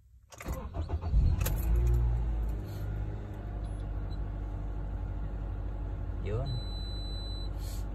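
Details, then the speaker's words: Car with a shaking engine and check-engine light, after new ignition coils: catches after a short crank and settles into a steady, even idle with no misfire or shake, check-engine light gone; normal idle. "Okay na oh back to normal na yung ano niya"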